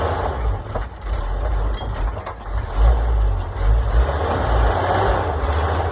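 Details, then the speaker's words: Oshkosh plow truck, thought to be a 1956, governed at 2800 rpm, sat for years, started in winter after cleaned points, borrowed coil and new gas tank, no coolant, full exhaust: low rumbling idle, fairly even, no knock or miss; normal idle. "seem to be running pretty good for sitting forever even has a full exhaust"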